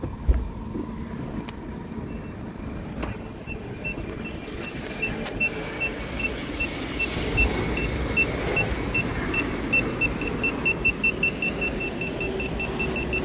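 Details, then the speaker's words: Retrofitted VEGA VGS24 parking sensor on a BMW E46 rear bumper, reverse gear engaged, speaker lying loose, in a parking garage: loud high-pitched beep repeating about 2.5 times a second; working correctly, owner plans to lower volume. "relativ laut das Ding ich glaube ich muss mal eine Stufe weniger Stellen das hört man hier komplett im ganzen Parkhaus"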